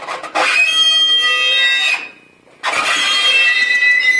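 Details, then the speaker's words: Kenmore/Frigidaire clothes dryer running. Two loud, dry, shrill squeal bursts from the drum drive; the problem began suddenly, with smoking, while it still heated. Owner suspects something stuck in the front wheel and ordered a new belt; unconfirmed. "it gets hot but all of a sudden starts squeaking and making that sound and I suspect that there's something stuck in the front of the wheel"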